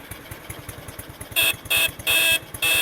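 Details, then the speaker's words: Restored Honda Super Cub C800/C700, idling during electrics check: four crisp high-pitched beeps, each under half a second, over soft ticking idle; horn works normally. "Ya seperti itulah suaranya, lucu ya."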